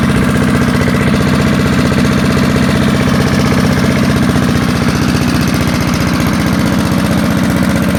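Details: Early-1970s BF Goodrich push mower's small single-cylinder engine, a barn find that sat for years seized, revived after freeing up and fitting the carburetor diaphragm; loud, even popping at steady speed with no misses or surging, running smoothly.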